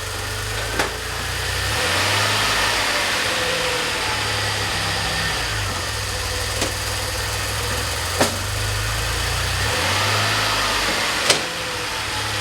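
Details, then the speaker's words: DeLorean after long troubleshooting without success: idle sits high, slowly surging up and down every couple of seconds; owner says this is where idle wants to be and car is drivable, cause not found. "That's kind of where the idle wants to be. It's not that bad. It's actually very drivable."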